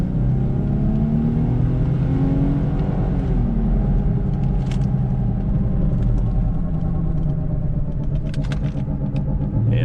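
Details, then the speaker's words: 2006 Infiniti M35x driving at speed: deep steady growl in the cabin, louder when braking, with shaking; badly worn front wheel bearing, sounding like the right front, plus two bent rims. "so that's just major bearing noise that I'm hearing."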